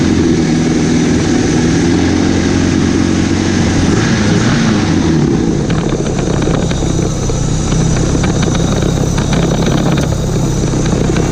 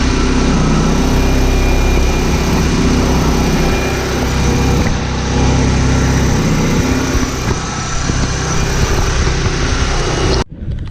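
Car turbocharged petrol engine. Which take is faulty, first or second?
second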